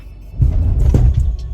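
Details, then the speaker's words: BMW E46 M3 convertible: massive heavy low thud and rumble as drive is taken up when put into first; owner suspects rear diff and its bushes, not confirmed; driveline clunk on pulling away. "We do have a massive clunk. Let me just put it into first and listen to this."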